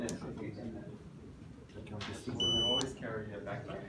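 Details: Xiaomi Scooter Pro, the working unit compared against one whose switch panel failed; a short, clean high beep of about half a second as it switches on, a normal power-up signal.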